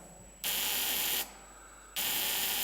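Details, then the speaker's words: Humphrey pump ignition at Cobdogla Steam Museum, Model T trembler coils in a box create the spark when the button is pushed: sharp high-pitched electric buzz in two roughly one-second bursts, audible proof it is sparking normally. "And we put a T-model Tremolo coil down in the box here to create the spark. And that way we know it's sparking, we can hear it."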